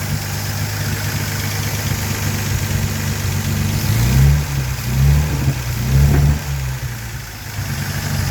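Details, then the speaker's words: Armstrong Siddeley Star Sapphire special, first running in probably over 40 years, old TR6 silencer fitted: smooth idle with three throttle blips rising and falling cleanly, no tapping. Not perfect but running well. Oil leak still to fix. "It's not right, perfect, but bloody good. Well, that's been a very successful weekend. See, it's all running properly. Well, not properly, but good."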